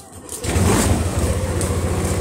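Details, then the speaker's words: Yamaha All New NMAX scooter: quick crank catches cleanly into smooth even idle, no knocks or misses; battery voltage rises from 12 to 14 when running. "Dari 12 dia berubah jadi 14 pada saat menyala."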